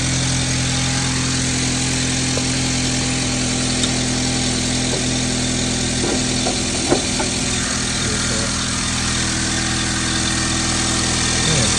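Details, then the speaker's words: 2009 Honda Civic on a cold start at idle: steady low whine and hum over the engine from a noisy power steering pump, later replaced. "All right, today's subject here complaint noisy power steering pump."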